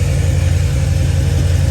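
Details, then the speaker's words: Supercharged 1998 Honda Prelude (Jackson Racing supercharger) with good compression idling with an uneven, lumpy, tractor-like beat; pulling cylinder two's injector plug changes nothing, so cylinder two is dead, likely the one with the clean spark plug; injector wiring suspected. "Nothing. Two. Cylinder two. And I think that's the one that had probably had the clean spark plug."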